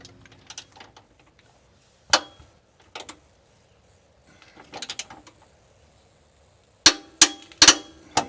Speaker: okay so that's how you know that you've reached the torque you'll hear that little clicking sound